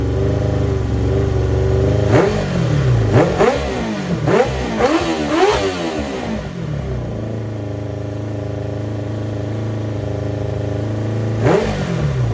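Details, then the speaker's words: 1995 Kawasaki ZX7 motorcycle revived after flushing transmission fluid from the system and tuning, running with exhaust off: loud open-pipe idle, quick blips rising and falling cleanly, settling to an even steady idle; runs healthy. "So, I sat there for a little bit, tuned it, got everything working right, and I got it to sound like"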